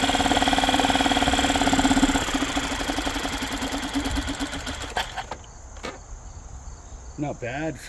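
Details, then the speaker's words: Yamaha 2.5 hp four-stroke outboard after aftermarket carburetor install: catches on first pull and settles into steady, even fast idle on choke; runs cleanly, normal running. "Started right up first pull. Good aftermarket carburetor, pretty good."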